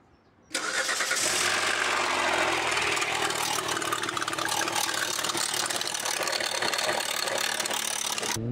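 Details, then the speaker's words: Hyundai Santa Fe V6: loud, fast metallic rattle from startup that persists while running, a constant timing-chain noise caused by burst tensioners; fix is replacing the tensioners, the chains themselves not needed. "Ou seja, como aqui tá estourado, ele fazia o barulho constante aqui da corrente, ó."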